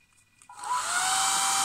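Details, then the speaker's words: Creality Ender 3 3D printer with BigTreeTech SKR Mini E3 board, DIY microcontroller smart fan module in temperature-controlled mode 2; sensor warmed by pinching, LED turns orange-red and fan spins up from near silence into steady airy hiss: ramping up as intended. "we'll see the color change going slightly orange and red and fan speeds up which is what we want"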